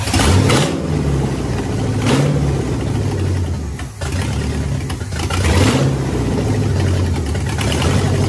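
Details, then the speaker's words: 1967 Pontiac Firebird with newly installed 1977 Pontiac 350 V8 after fuel lines clamped against leaks: deep burble with repeated throttle blips, settling to steady idle; runs, though vacuum leaks remain. "so well guys we did it we got the uh pontiac motor in the 67 firebird and it's running"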